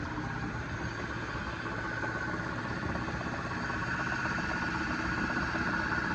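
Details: Lathe-headstock-powered milling machine power head at its first startup after final assembly, driven through a phase converter and set for roughly 48 RPM: an even mechanical whir with a soft rhythm near three per second and no grinding or knocking. It runs smoothly.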